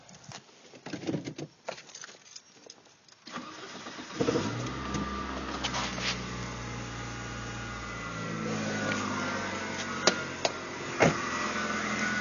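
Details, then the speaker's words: Saturn SL1 engine cranks and catches, then a thin whirring whine over idle from the belt area, louder at higher rpm, with scraping grinding when belt is pulled; failing idler pulley bearing, pulley replaced. "that's the noise it's making and as far as I can tell it's coming from the idler pulley which is right here"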